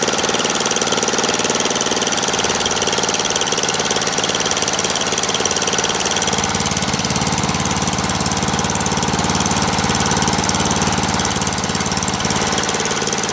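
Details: Murray lawn tractor, 12.5HP Briggs flathead single, after sticky-valve zero-compression fix, warming up after a restart: even, unbroken putter that settles a little lower partway through without stumbling; good steady idle.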